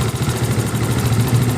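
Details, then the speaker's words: Yamaha Mio Sporty scooter idles normally with an even putter. It had died while riding although compression, fuel and ignition checked normal. Fixed by resetting the jumped cam timing gear and adjusting intake and exhaust valve clearance. "coba kita hidupkan Apakah motor ini kendala dari Gigi timing yang lari atau masih ada kendala lain motor hidup dengan normal"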